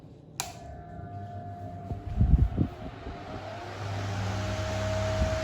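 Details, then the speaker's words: GEC bullet desk fan, rewired because its original wiring had perished, which once tripped a breaker, started on high: clear steady motor hum with airflow rising quickly and evenly; starts normally, though the oscillator is broken. "Starts up quite quickly."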